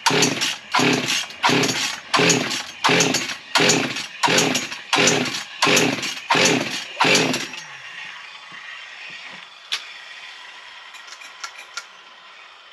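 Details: Husqvarna 55 chainsaw that never ran for its owner, after carb kit, fuel squirted in; about a dozen pull-starts, barely catches and dies; bubbles suggested fuel not drawn through fuel line; starts but stalls.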